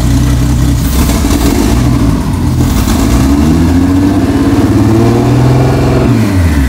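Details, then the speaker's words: Vancruiser on aftermarket Haltech ECU, first start after build, throttle held open, injectors just switched on: uneven, lumpy beat rising and falling with throttle, sounding like it runs on four cylinders; rough-running misfire, cause unconfirmed. "That sounds like it's running on four cylinders, but that's all right."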